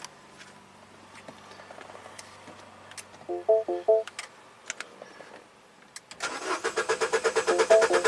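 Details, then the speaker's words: Mini Cooper with intermittent crank no-start: a couple of chimes, then even cranking about three turns a second that never catches. Ignition coils get no power through the engine computer despite the DME relay powering up; no spark. "Crank, no start, no power. Very interesting."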